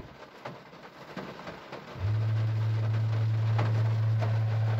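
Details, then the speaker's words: VW Polo MK5 6R/6C with EA189 1.5 TDI engine, PQ25 BCM and TP20 gateway; OBDeleven brake-bleed function (front) commands the ABS pump motor, heard as a quiet pause then a steady low electric buzz; ABS light came on. "so in that way it can the bcm can command the uh abs motor to work and help the brakes to bleed"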